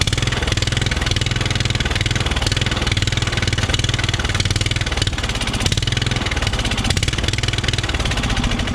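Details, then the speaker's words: Riding mower that sat for years, carburetor main jet not fully cleaned, idle circuit possibly still dirty: busy uneven chatter with irregular pulse; rough running, likely fuel starvation, may adjust air-fuel screw. "yeah kind of what i thought with that uh that carburetor i couldn't really get in there uh and get that main jet cleaned out like i wanted to"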